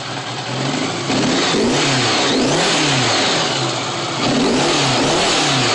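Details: Honda GL1100 motorcycle with about 300,000 on the engine, before carburetor sync: lumpy, wavering idle beat rising in pitch with a few throttle blips; unbalanced carburetors suspected, unconfirmed.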